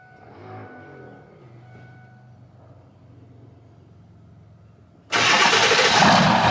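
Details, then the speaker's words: Ford 7.3 Powerstroke diesel truck's first start after a 5k-mile service (fuel filters and oil change) and priming the fuel system. It catches and settles into a low, even idle with no knocks or misses before loud background noise swamps it. Sounds good, no leaks. "sounds good brother yep no leaks"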